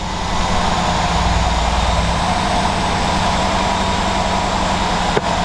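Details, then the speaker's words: 2013 Mercedes GL550 V8 after a failed alternator's voltage regulator was replaced, no codes showing: a deep, even idle holding constant speed with no whine, rattle or hunting; normal idle, charging fault believed fixed. "Didn't hear it die down or anything"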